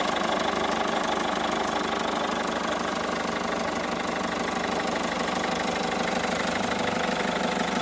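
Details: 2012 Peugeot 207 HDi diesel at idle: fairly regular light knock, roughly three per second, over the diesel clatter; the source is not identified.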